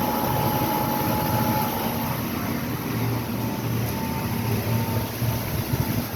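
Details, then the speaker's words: Car driving with a steady, low droning hum like a distant propeller and no knocking. The customer states the noise began after two new tires were installed; the origin of the tire or wheel drone is unknown. "Customer states, ever since you put tires on my vehicle, it makes a noise."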